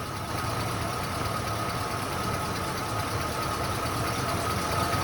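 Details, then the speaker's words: 1994 Ford Bronco 5.0L V8, newly installed engine, first start, coolant not yet topped off: smooth, steady idle on its own with no lifter tapping or knocks, oil pressure good. Timing possibly slightly off. Normal idle. "Nothing spewing out. I don't hear any taps or knocks. Sounds like the lifters or the rocker arms are probably adjusted properly."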